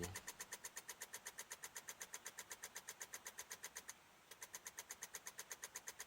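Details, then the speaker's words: 2006 Honda Odyssey that won't start despite a fully charged battery: turning the key gives rapid even clicking, about four a second, with no cranking; the cause proved to be a battery terminal separated internally, fixed by a new battery. "Oh, that was something different. Tried to turn it over and got a click."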